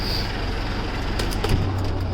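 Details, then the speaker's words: 2005 Mitsubishi Fuso diesel reefer box truck, throttle dropped with refrigerator unit and air conditioner shut off; low diesel rumble settling to steady, even idle where it should, smooth, no knocks. "You can see it drops down right around where it should"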